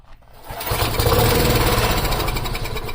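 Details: Free old lawn mower with a very dirty carburetor hanging by one screw and a broken intake piece, clean oil: short crank, then it catches and runs roughly at a steady putter on starter fluid; fuel delivery suspected.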